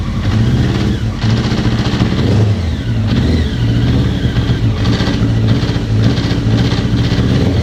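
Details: 1999 Honda CBR900RR Fireblade inline-four blipping and revving with a rough, uneven rattle over the exhaust; engine knock with power loss and extreme stator and rectifier heat despite all-new electronics, cause unknown.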